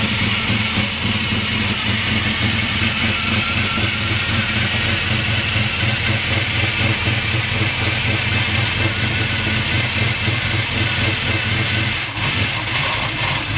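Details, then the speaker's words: 1998 Chevy S10 with a freshly swapped 383 stroker V8, idling with timing slightly off. A loud mechanical clatter over the steady idle is the normal noise of its gear-drive timing set. "so it does in fact have Gear Drive timing in it that's where all the noise was coming from I've never had a vehicle with it"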